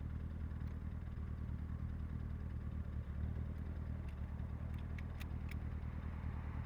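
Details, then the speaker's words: 1966 Triumph Spitfire MK2 with a rebuilt 1296 cc engine on its first road drive, after the air cleaners were removed: smooth, even low drone under acceleration with no stumble, responding properly to the throttle, heavy wind noise; normal running. "now she's reacting as she should be when I hit the pedal she's flying"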